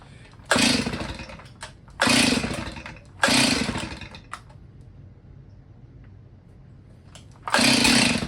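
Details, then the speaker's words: Old Stihl chainsaw sitting 10 years; each pull gives brief sputtering burst that dies within a second; fires but will not keep running. "Did you hear that, dude? She wanted to go."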